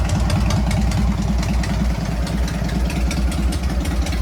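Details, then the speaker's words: Harley-Davidson Sportster 883 converted to 1200 with Wiseco pistons, rings and cylinders, first start after rebuild during heat cycle, 79 degrees, 105 on the pipe: deep loping V-twin idle, about 2.5 pulses a second, no knocks or misses; normal idle. "Wow, don't sound bad. I'm supposed to rev it. I'm supposed to be doing a heat cycle."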